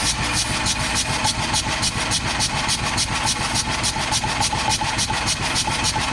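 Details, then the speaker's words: 1954 Caterpillar No.6 track loader pony motor, cranked with ether after sitting in a barn: steady cranking chug about three and a half turns a second, no catch or pop; crank no start, magneto suspected. "Nope, not firing. So it is probably something in the magneto, I would guess."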